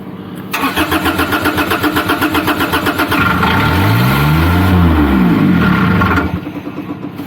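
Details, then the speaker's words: Niftylift HR17 SP50 Kubota diesel with throttle solenoid disconnected: cranks briefly, catches and runs unevenly about five seconds, then dies; starts but won't keep running, faulty diesel control board suspected. "starts and stops so it's not going to continue running all right that's interesting but i think that's most likely related to faulty diesel board"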